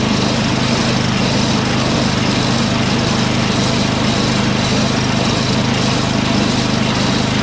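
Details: Toro 38150 snowblower's 8HP Briggs engine (for swap onto Craftsman 827), electric-started, choke at half, transmission stuck in second gear but not engaged; steady, even fast drone with no misses or surging: engine runs fine, transmission faulty.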